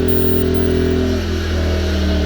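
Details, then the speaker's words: Firman W2000i 2000W/1600W inverter generator powering an electric stove; single-cylinder engine holds a high, steady buzzing drone at max speed under heavy load; normal. "But here you can see, I turned it on and now the engine's running higher. So it's running at max, and you can hear now the engine's running crazy."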